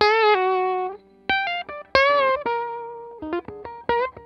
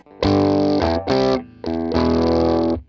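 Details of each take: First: Vox AC100 amp build troubleshooting, running with only two power tubes at moderately higher volume: guitar rings full and slightly gritty, crunchy on harder strums, clean when played softly, on the verge of breakup; amp sounds healthy. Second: Vox AC100 build with all four power tubes fitted, turned up quite high: guitar chords break into harsh, fizzy clipping with a hard click and pop on each note; amp distorts badly at volume, cause not yet found (fine with two tubes).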